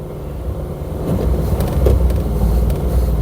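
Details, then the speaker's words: 1972 Triumph 2000 Mk2 2.0 inline-six barn find, warmed up, rolling back on full throttle: low uneven rumble sags and dies completely, runs with choke out, dies with choke in; suspected carburetor fault. "okay, so I'm pushing it back. You hear it's dying completely now. Temperature is up, so carburetor, definitely carburetor, because I'm on full throttle."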